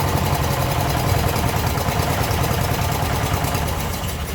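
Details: Abandoned 1996 Briggs 17hp I/C flathead opposed twin, running on its own for the first time in over ten years; the weak battery couldn't crank it fast enough. Steady idle with a soft, slightly uneven low thump, no knocking; normal running.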